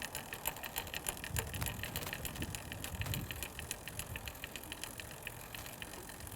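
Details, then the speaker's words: Road bike with Shimano Tiagra rear derailleur, pedals turning during index adjustment: steady light chain chatter, about three to four ticks a second, from too little cable tension, cured by turning the barrel adjuster anticlockwise. "you'll hear the chain start to chatter and then eventually move up as you increase the tension on the barrel adjuster"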